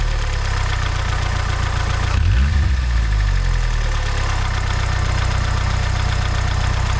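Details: Mazda 626 GD at a deep, steady idle with a low, fast knock riding on it at about four per second; the cause of the knock is still unclear.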